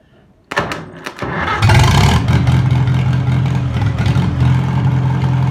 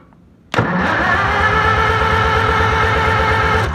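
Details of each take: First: Old four-cylinder farm engine rested 15 years, running after its points were filed: cranks, catches, then holds a steady, low, even beat with no misfires or knocks; normal running. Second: Old farm engine rested 15 years, fuel fed straight to the carburetor, points not yet checked: steady cranking at about three compression beats a second that never catches; no spark, points to be cleaned.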